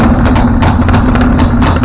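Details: Husqvarna LTH 1438 riding mower, 13.5 engine, reported to backfire through carb and exhaust; first start before repairs, choke not closed: uneven lumpy idle with irregular sharp cracks; mower shop suspected loose cam gear, unconfirmed.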